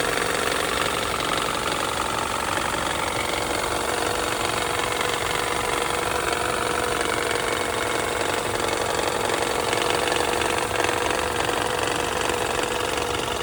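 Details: New long-block engine at idle: a loose, roughly regular tapping, about three per second, over a steady idle, pointing to an internal engine knock.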